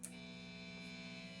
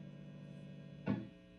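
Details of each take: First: Vintage V6 Strat-style guitar with stock Wilkinson WVS Alnico V single-coil pickups, not being played, amp up to 10 with distortion: a steady low buzz with a thin high whine; 60-cycle single-coil hum. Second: Vintage V6 Strat-style guitar with Fender Custom Shop Fat '60s single-coil pickups and cavity shielding grounded, amp at full volume. A steady low mains hum with one short pluck and no crackle. Normal single-coil 60-cycle hum.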